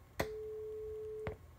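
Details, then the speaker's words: Line 6 LD150 150 W bass guitar amplifier brought in for low output, test tone via MP3 input: a clean tone starts with a pop, lasts about a second, then pops off; output mutes after power-on, possibly some protection. "so we did have a tone I'm sure you could hear that I was on for maybe two seconds and then it shut off we have lights so there's still power"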